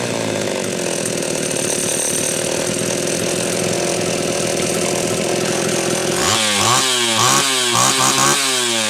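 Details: Homelite Super XL chainsaw after a loose cylinder nut (cylinder gasket issue) and filed, gapped points were fixed. Steady high-rev scream, then rhythmic bog-and-recover surges while cutting; runs clean and strong, being retuned after starting slightly lean.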